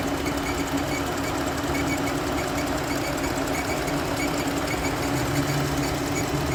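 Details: Jeep Grand Cherokee with 35,000 km, under warranty, still noisy after belt and pulley replaced: steady idle with a light regular tick running through it; ticking at idle, root cause not identified by technicians.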